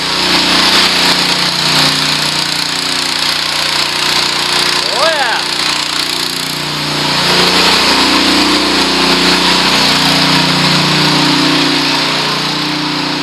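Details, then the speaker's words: Honda WB20XT semi-trash pump after repair work, just primed: a loud, steady engine drone with rushing water hiss held evenly. It is pumping normally. "sometimes it takes a little prime and sometimes it takes up oh it just took off i believe sounds like it"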